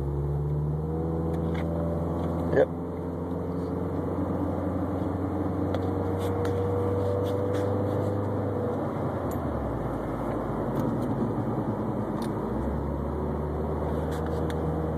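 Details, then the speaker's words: Subaru Baja at 151,000 miles, worn press-in wheel bearing: steady low wawawa drone while driving that swells as weight shifts onto the wheel, rollers hitting a flat spot worn into the bearing race; wheel not loose, bearings to be replaced. "how you know bearing's bad cuz it's like every time I shift the weight on the wheel it hits a flat spot whenever the rollers are going over the flat spot inside the bearing race is what's making all that noise"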